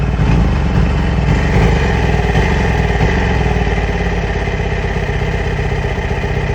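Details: 2008 Yamaha R6 rough idle: uneven stumbling pulses with some clatter, not settling into a smooth rhythm. Owner has ordered new ignition coils and spark plugs; cause not yet found.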